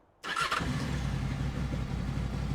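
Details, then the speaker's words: 2007 Honda VFR 800 motorcycle after injector cleaning, spark plug and air filter change: engine settles straight into a steady 1200 rpm tick over with no hunting, very responsive on the throttle; normal idle. "bike's ticking over absolutely spot on nice steady 1200 RPM tick over on this one very responsive on the throttle"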